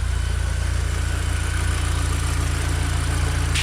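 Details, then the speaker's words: Mini Cooper R50 just after fitting an R53 intake manifold, fuel regulator vacuum line and MAP sensor reconnected, first start: smooth, even low idle, no misses or hissing; sounds fine (owner notes bad running usually means a vacuum hose). "Obviously make sure you can hear the engine's running right, which does sound fine. If it doesn't sound right, normally that's probably because of a vacuum hose."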